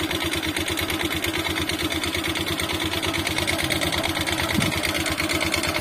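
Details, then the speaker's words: Motorcycle found with no engine oil, suspected seized piston, refilled with used oil: fairly steady single-engine pulse with a rattly, uneven edge as it revs. Heavy smoke reported once hot. Rough running after oil starvation. "Saya tutup lagi, saya kasih oli bekas, dan alhamdulillah sudah bisa nyala ya. Ini sudah bisa nyala. Nah tapi suaranya bosku ya, suaranya tuh kayak gini."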